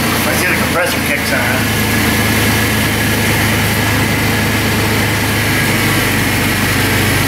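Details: Steady, even idle with the A/C compressor engaged and humming smoothly, no squeal, knock or rattle, on a 2005 Chrysler Pacifica just after A/C condenser replacement, oil top-up and 1.81 lb refrigerant charge, cooling fan temporarily plugged in; normal compressor operation.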